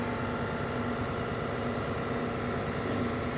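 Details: Mercedes CLA 250 Sport, code P030485 cylinder 4 misfire detected: lumpy, uneven idle with irregular stumbles; engine misfire at idle.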